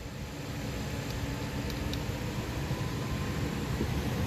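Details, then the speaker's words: 2015 Nissan Rogue after blower motor replacement (original blower dead, 15A fuse good), ignition on: smooth even airy whoosh building slightly and holding steady, no rattle or squeal; new blower works normally. "I hear it. I feel it."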